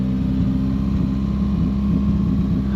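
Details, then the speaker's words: 1977 Daihatsu F10 with a 3K engine swap, first start after purchase and still wanting choke: a lumpy, uneven beat and wavering tone at idle, running very rough; the carburetor and fuel pump are described as junk. "garbage. Oh. Oh. [Music] Oh, that's that's really bad."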